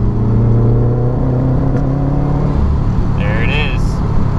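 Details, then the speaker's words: Older Subaru, check engine light P0244, third gear at about 3,500 rpm under hard pull: strong low drone with uneven, stumbling edge, roughness in cylinder with about three misfires seen on Accessport; misfire caused by loose coil pack. "as you guys saw it went up to three or so uh misfires or something rough going on so we're still in third gear about 3 500 RPM let's hit it"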